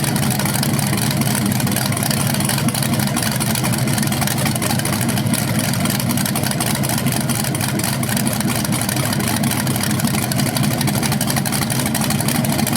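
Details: BluePrint 396 big-block crate engine for a 1970 Camaro SS, first outdoor run on the stand after oil priming and a timing check: loud, steady rumbling beat, no knocks, ticks or misfires; healthy, no leaks seen.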